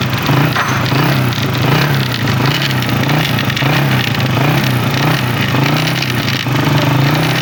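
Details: Honda CG125 motorcycle at idle, before opening the side cover: loud harsh crackling clatter over the steady single-cylinder beat, like broken pieces rattling inside.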